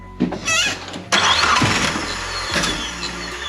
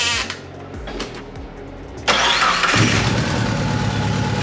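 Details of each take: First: 3G Eclipse Turbo, first start after head gasket swap with Sonata G4JS DOHC head, timing belt, oil change, turbo reinstalled: starter churns in short bursts, never fires; has spark and compression, cause unknown; crank no start. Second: Mitsubishi Eclipse 3G turbo after a head gasket swap and power steering delete, with a failing camshaft sensor suspected; after a short crank it catches at once and settles into an even, steady idle with no misses.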